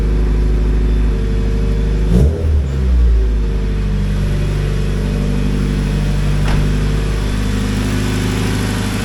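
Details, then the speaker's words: Honda EP3 after fuel system work, started after priming and checking for fuel leaks: fires and settles into a steady, low, even idle with no misses, ticks or stumbles; not yet warmed up; normal idle. "All right, everything looks pretty good. We're gonna keep an eye on it, let it warm up, and if it still looks good, I'll take it out for a drive."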